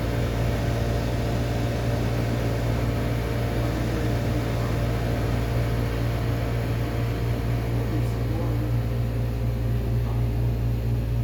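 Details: Hotel room air conditioner running with a steady loud hum and a rough pulsing about twice a second that never settles; the unit is noisy, cause unclear.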